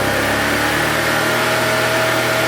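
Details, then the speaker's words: Honda EB1400X generator, 107cc 3HP, 1400W, neglected barn find previously non-starting, started with a drill and a bit of ether: steady, even hum with no misses or knocks; running normally. "Look at that. She runs. It doesn't This thing's crazy. I mean, this generator is working perfectly fine."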